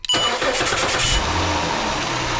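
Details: 2006 Chrysler 300 3.5, 120,000 miles, previously a no-crank no-start, cranked after a power probe fed battery power to the 5 amp fuse: brief crank, then it fires right up and settles into a steady idle; normal start.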